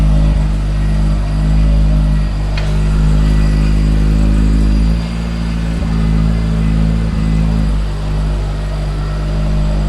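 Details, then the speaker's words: AE86 with a Blacktop 4AG 20V engine on a new Haltech Elite 550 ECU, on the dyno: strong, even revs climbing and dropping through repeated pulls, no misses or knocks; healthy engine revving. "I guess it is working. It sounds good."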